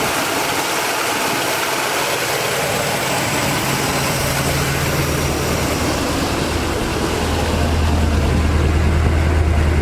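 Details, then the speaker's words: 1979 Chevy G20 van V8, first drive after sitting 35 years, temperature normal, no smoke: deep, loping idle with an uneven beat and occasional pops; suspected misfire from a plug or distributor cap and rotor, not confirmed. "There ain't no smoke coming out. I think it's just got that pop. I bet you distributor cap and rotor buttons, man. Sounds like a plug or a distributor cap rotor button."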